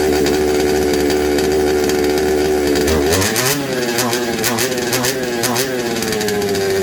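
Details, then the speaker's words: Second-hand 1/5 RC Baja two-stroke after carb and gasket swap, spark good; block possibly suspected: uneven buzzing, revs hunting and surging instead of holding steady; runs poorly, can't be tuned, cause unconfirmed. "sort of it feel and you can't tune it so check the spark Spark's all good we change the carb and it's a little bit better"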